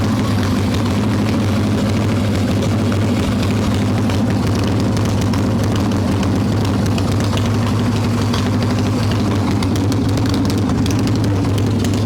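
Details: Harley-Davidson Evo Softail V-twin, warm, no choke, carb loose with choke plate off, mixture screw seated: lumpy, loping idle that won't settle; intake air leak from loose intake bolts and cracked vacuum cap, idle speed screw also faulty.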